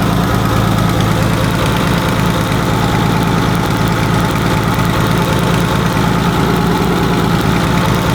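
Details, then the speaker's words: BMW E30 (400 hp project) engine, oil not changed for a year: fast, uneven ticking knock about twice a second over a rough idle; owner suspects a connecting rod, a failing rocker arm, or simply old oil. Cause not confirmed. "donc le bruit euh ça peut être soit une bielle euh enfin un couiné soit ça peut être un culbur qui a commencé à merder c'est possible aussi soit ça peut être juste une vidange"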